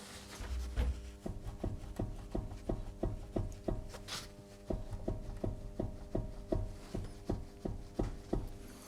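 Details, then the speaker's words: Tesla Model 3 rear suspension with the car lifted and the wheel off the ground: rocking the tire gives sharp clunks nearly three a second, in every direction, from a worn hub-side upper control arm bushing with an internal ball joint. "also hear what makes that sound, that is, it clearly clunks when you turn it from the tire, so for me it actually does it in every direction"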